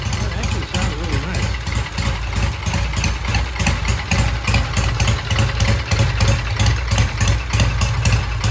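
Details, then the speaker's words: Vintage British single-carb Triumph TR6, kick-started after about a dozen kicks once the clogged pilot jet was cleaned: deep, lumpy single-cylinder idle around 200 beats a minute, steady and healthy, with a slight stumble coming off idle. "all right it started up took a dozen or so kicks we uh cleaned the pilot J the pilot jet was all clogged up once we did that we got it started it's idling now sounds"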